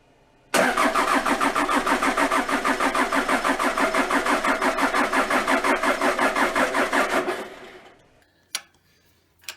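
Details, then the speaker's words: Toyota Land Cruiser 3B 3.4 L naturally aspirated diesel, out of 1981 BJ60, sitting six–seven years, borrowed weak battery: about three labored starter strokes per second for seven seconds, no firing; slow crank, no start. "it's cranking kind of slow but making do with what we got here"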